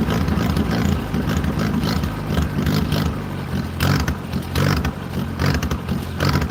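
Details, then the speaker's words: 1940s wood splitter, International Cub engine, cold, on choke while warming up: low uneven chuffing with irregular stumbles and missed beats, close to dying; running rough near stalling. "I can't walk away from it or it's going to die. Oh yeah, that was horrible."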